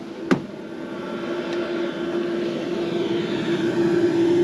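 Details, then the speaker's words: BougeRV diesel heater running in a 1994 Chevy van on a cold 20°F day with the van still cold inside: a steady low hum slowly builds and then holds even, with no knocking or surging. Running smoothly and not loud. "Anyhow, it's running jin right along. Not making a lot of racket."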